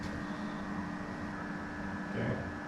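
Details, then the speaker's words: Newly installed water heater, just filled and powered on, ear held against it: steady low electrical hum with a fixed higher tone, no crackle or sizzle; buzzing means the element is on and working normally. "hear it buzzing yeah means it's on"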